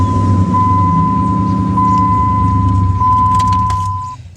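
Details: 2002 Dodge Ram 1500 that only single-clicked with no crank, starter suspected; after the repair it cranks briefly and starts straight away into a steady, even run on the first try. Normal cranking and start.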